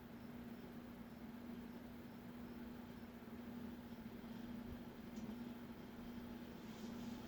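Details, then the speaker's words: Montgomery Ward (Evergo) Bananafan ceiling fan E-8C 42274, run in reverse to try to kick-start the bearings after oiling: lower current draw, but a steady hum under a coarse, uneven rattle remains. Dry, worn bearings; fan likely sat in a barn for a long time. "Okay. Lower current draw, still rascally. Yep. Poor thing."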